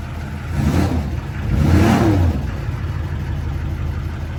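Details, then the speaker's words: 2004 Duramax LLY diesel after replacing the accessory belt, idler and tensioner. Runs smoothly through a short rev and settles, with no squeal, chirp or rattle from the belt drive; fixed. "all right, cool. That seems fixed."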